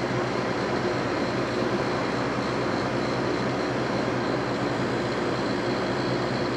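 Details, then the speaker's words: GE 9,900 BTU 115 VAC air conditioner, model AJCS10ACAM1, on low cool at its first start in almost 10 years: even, steady hum with an airy rush and faint high tone, apparently pushing refrigerant. Normal running. "sounds like it's probably pushing refrigerant around."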